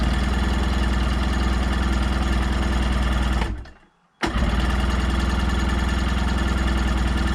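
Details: 1990 Sea-Doo GT, 587cc Rotax two-stroke, non-running unit, cranked with choke: fast, fairly even chugging at about four beats a second that cuts out briefly then resumes; cranking without starting properly.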